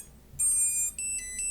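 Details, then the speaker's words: STM32 drone flight controller (MH-FC V2.2) after ESC calibration entered via FS-i6 switch C down: short high chirps repeat in a quick stepped pattern in a quiet room; buzzer waiting for switch C raised before normal mode. "지금 이런 비품이 계속 반복적으로 울리면서 이 스위치 C를 위로 올릴 때까지 대기하고 있는 상태입니다."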